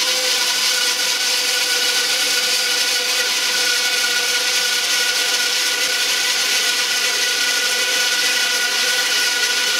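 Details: 1948 Delta/Rockwell Milwaukee 14" band saw after tune-up with new urethane tires and tension spring, with dust collection: even blade hiss through wood with a steady faint tone, no thumps or rattles; normal band saw cutting.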